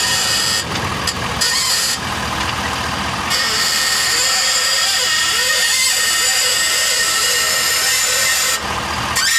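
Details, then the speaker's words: 2023 Ford F-450 at 50,000 miles, microphone at the front end as the truck is lowered onto its wheels while steering: harsh gritty grinding and squeal under load from trashed ball joints on that side. "So I think this pretty much confirms that the ball joints on this side are just trashed. They are noisy with the load."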